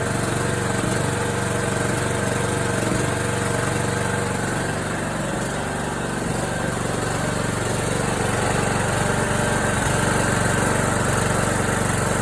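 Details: John Deere D105 with Briggs & Stratton Intek 17.5HP engine that seized from lack of oil while mowing, restarted after oil added and new Champion RC12YC plug, choke on: steady, even single-cylinder drone at about three pulses a second with no knocks or misses; sounds okay.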